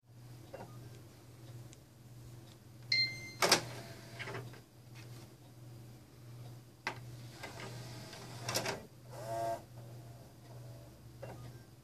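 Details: Xbox One disc drive that scratches the inner ring of discs and won't play them: low steady motor hum broken by irregular harsh scraping bursts as the drive grinds on the disc.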